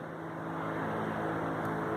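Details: 2012 Chery QQ, engine running, steering at full left lock: steady scraping rub as the tyre, compressed by car weight, brushes a bent body panel; not the CV joint or tripod.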